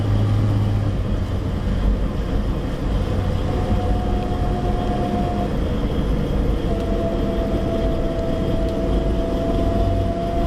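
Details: Steady low hum under road noise with a faint intermittent whine from a Suzuki APV automatic with 67,000 km, heard above 50 km/h; owner suspects the automatic transmission, not confirmed.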